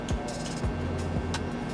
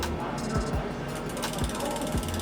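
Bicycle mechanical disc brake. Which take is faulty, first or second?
first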